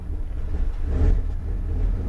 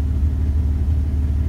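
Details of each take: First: 2001 Dodge Ram 1500 5.2L V8 at idle: low idle that swells and settles every couple of seconds; surging from faulty MAP sensor, code P0107. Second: 2001 Dodge Ram 1500 5.2L V8 after MAP sensor replacement for P0107 surge: deep, steady idle rumble with no dips or surges, MAP reading about 10.6.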